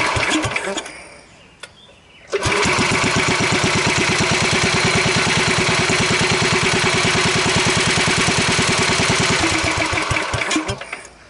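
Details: Wheel Horse 753 garden tractor after refitting electric start: engine catches after a couple of tries and settles into an even, steady beat with no rubbing. A hot guard was rubbing before being bent clear; the charging system reaches 12.8 V.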